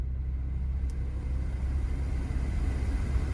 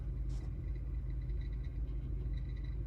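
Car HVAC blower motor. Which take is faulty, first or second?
second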